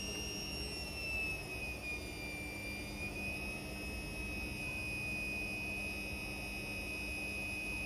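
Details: Indesit Innex XWSC61252 washing machine, brought in for not draining, on spin test after repair: steady high motor whine at even pitch, no grinding or clunking; speed dipped noticeably when the high-speed motor coil engaged, cause unknown; otherwise spinning normally.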